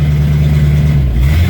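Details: Rusty V8 Mustang just restarted after oil change and dash rewiring: deep even burble with slight rev rise, steady beat, no tapping or misfire; healthy, oil pressure coming up.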